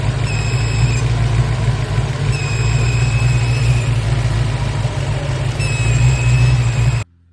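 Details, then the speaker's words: Supercharged engine at steady idle: a thin, high whistle that comes and goes over the rumble; the supercharger bypass valve failed a vacuum test while a new one held vacuum, so the leaking bypass valve was replaced. "I made a little Post online because I was getting some weird sounds out of my bypass valve on the supercharger"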